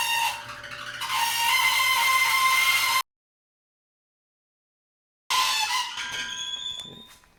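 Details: Maytag Bravos XL dryer (model MEDB855DC4) running with a loud, steady, high-pitched screech from a dry, failing idler pulley bearing, before idler pulley replacement.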